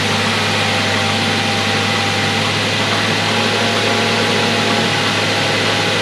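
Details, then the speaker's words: Mazda 3 after DIY water pump replacement, belt and tensioner refitted, coolant refilled: petrol engine idles smoothly and evenly, steady hum and light hiss, no grinding at all. "There you go guys, start it up, no grinding sound whatsoever. Let this run a little bit."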